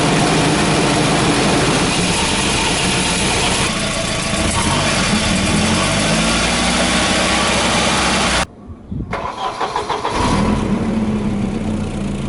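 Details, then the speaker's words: Volvo B230 redblock petrol four after replacing worn spark plugs with overly large gaps: starts and idles with a loose, tinny metallic buzz over the exhaust; the rattle is the exhaust heat shield. "the rattling you can hear is the exhaust heat"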